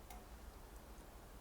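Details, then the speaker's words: SONOFF S26 smart plug switched off from the app: one sharp, dry relay click, then quiet room hum. The relay is switching normally. "When I press the power on, it says off, but when I tap that off, you will hear a clicking sound"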